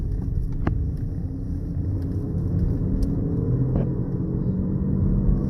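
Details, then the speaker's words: Honda Accord driving at about 40 mph: low steady rumble that grows with road speed and fades at a stop; a worn front wheel bearing, later replaced. "Hear how it gets louder and louder as you speed up, and then when you come to a complete stop, of course, the noise goes down."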